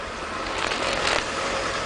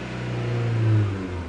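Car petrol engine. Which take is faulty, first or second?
first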